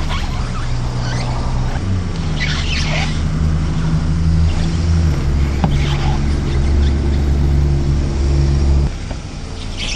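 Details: Car tyre sidewall rubbing along a kerb, a steady low squeaky drone over the engine that cuts off after about nine seconds.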